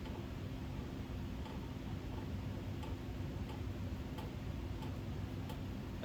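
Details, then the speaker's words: 1987 Kontrust-made 56" Gulf Coast Naples ceiling fan on medium speed: faint light ticks about every half second over a soft motor hum from the loose canopy, a Casablanca-style hanger mount that lets it wobble. "you're probably hearing is the canopy this fan uses a knock off of the hanging truth of casablanca and installs the same way as a hanger does so therefore it's a little loose and it wobbles because of reasons"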